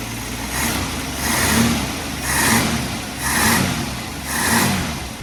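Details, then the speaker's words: Warm 1967 Mustang with rebuilt carburettor on the dyno; idle surges up and down about once a second, hunting rather than holding steady, and tends to die at idle after warm-up. Tailpipe AFR probe shows super lean at idle and still lean with fuel: lean idle mixture. "So at idle, we're super lean. And then once we get fuel going to it, we're still lean."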